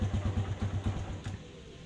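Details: Kawasaki Barako 175 that takes ten kicks to start: a few quick, uneven firing thumps catch briefly, then fade out instead of settling into idle; a hard-starting engine.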